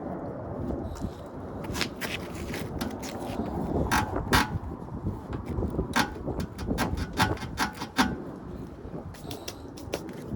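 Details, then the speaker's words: Tesla Model 3, rear passenger-side suspension: irregular sharp creaks and squeaks, about two a second, with each jolt over bumps; started weeks ago, gradually worsening, now on any bump; cause still unknown pending Tesla Service check. "so this noise which appears to be coming from the back passenger side suspension started a couple of weeks ago and it's gradually got worse and worse up to the point now where even if I go over any bump in the road it makes this horrible squeaky noise"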